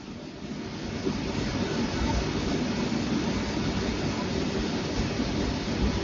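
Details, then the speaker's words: Sonofresco 2 lb propane coffee roaster, cold start at -15°C outdoors, just after ignition with start button, propane smell, exhaust warm: steady even burner roar with blower rushing air, no popping or surging; burner lit, ignition bang within 10 seconds confirms flame. "So one way to know is that sound, that bang sound, you'll hear within 10 seconds. That's how I know that the gas line or the fire is burning."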